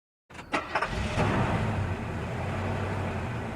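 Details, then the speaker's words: Renault Kangoo 1.5 dCi K9K diesel, brought in for a suspected injector knock: starts and settles into a rough knocking idle; piston appears to strike the cylinder head (polished liner seen by endoscope), or something is trapped between piston and head. "значит мы запускаем двигатель и реально чувствуем что сучить не паршин книг не форсунка стучит стучит поршень похоже долетает до головки цилиндров или что-то может быть попала между поршнем и и гол"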